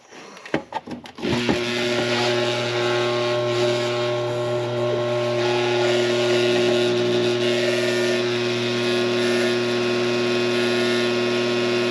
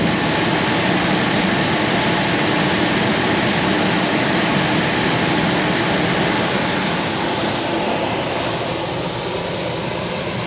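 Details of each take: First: Coleman Presidential II furnace blower motor, cleaned and greased with synthetic grease, bench-run on a cord: click then steady hum with rough rattly drone; runs noisy, shaft has slack, owner suspects worn bushings. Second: Coleman Presidential II furnace in a mobile home, after cleaning out a seized motor: even airy rush with smooth hum, no knocks or squeals; cycles with thermostat, blower running normally after repair.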